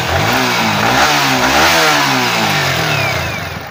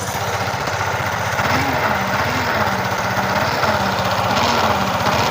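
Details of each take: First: Yamaha R15 V3 revving cleanly after stator coil replacement, no hum, whine or bearing noise; battery charging 13.74 V at idle, battery somewhat low; normal engine revving. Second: Yamaha R15 V3 at idle: wavering humming, grinding growl over the engine beat that sounds like a crankshaft or camshaft bearing, but is caused by a shorted stator coil.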